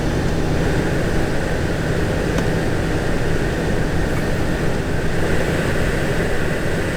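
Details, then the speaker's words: 2017 VW Golf Alltrack (MK7) HVAC blower after replacement with part 5Q1819021: steady rush of air at full fan speed, only motor and airflow sound, no rubbing, ticking or squeal; healthy. "So there it is with power. It sounds like it's making noise, but that's just the motor. That's fine. Alright, I guess it's the sound of airflow."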